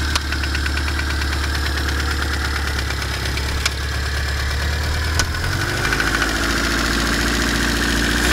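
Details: BMW E30 with M10B18 four-cylinder at idle: a few sharp, irregular knocks a couple of seconds apart over an even idle; unexplained intermittent engine knock, owner asking what causes it.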